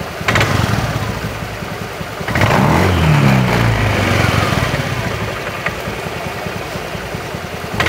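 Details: Honda Beat FI eSP scooter at low idle: uneven rattling clatter from the CVT, about three or four knocks a second, not very severe, busier on light throttle from idle; worn, loose CVT roller sliders.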